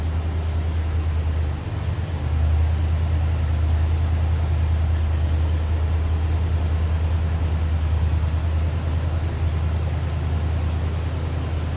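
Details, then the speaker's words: 1973 Ford F-100 Explorer, 360 V8 with automatic transmission, idling: steady, deep, even rumble from mild, not over-the-top exhaust, no misses, knocks or ticks; runs smoothly. "Let you take a listen, nothing crazy over the top as far as exhaust."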